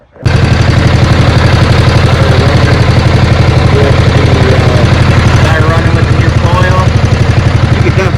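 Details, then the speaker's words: 2010 John Deere Z425 zero-turn twin after faulty ignition switch feed and kill-wire/diode wiring fixed and coil packs changed: loud even low thump from both cylinders, no misses, both exhaust pipes hot; running cleanly. "can definitely hear it. Both pipes are hot."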